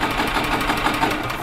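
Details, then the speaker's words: 1996 Yamaha G14 gas golf cart that won't start after sitting over winter: quick, even chuffing about six per second as it turns over, never firing despite choke or throttle — crank no start. "this one here is a crank no start so no amount of choke or throttle"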